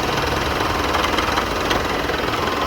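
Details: Idling engine with a fast, busy knocking rattle from a noisy car AC compressor, fixed without replacing the compressor.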